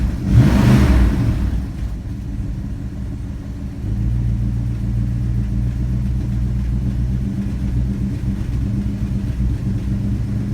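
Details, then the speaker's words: Vintage V8 muscle car with soft motor mounts: one blip then a lumpy idle with a soft puffing tick riding the exhaust note; exhaust leak. "have an exhaust leak you can hear that motor mounts are soft they're on the list to get done real soon but she doesn't sound too bad does she"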